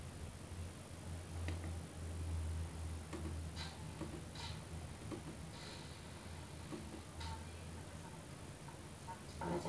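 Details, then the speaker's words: Polytron Paspro active speaker, previously totally dead, after replacing OB2269 IC and PC817C optocoupler, tested on radio with indicator and display lit: clean quiet music, steady bass, no crackle, buzz or dropouts; normal output. "Kita nyalakan ya, lampu indikator sudah menyala dan displaynya sudah menyala. Kita tes dengan radio dah."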